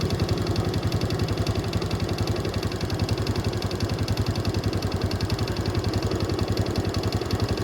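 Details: Honda Wave S 110 single-cylinder engine at idle: steady hollow knock about four times a second over the exhaust beat; piston slap, piston replaced.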